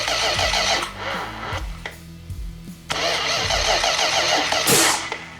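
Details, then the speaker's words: 440 Magnum V8, first start attempts: uneven cranking stumbles, then sharp pops and a loud bang with flames as it tries to catch; backfire caused by ignition timing badly off at the distributor. "still to come Mark investigates the problem that's keeping his engine from running that's what the backfire and the the Flames were"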